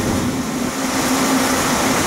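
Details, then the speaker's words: Grain dryer's second big fan starting up, grain inside still hot from shutdown 20 minutes earlier: fans roar steadily with a faint thin belt squeal as they spin up; the belts squeal a little because the fans are so big, a normal start. "those fans will take a minute to get going"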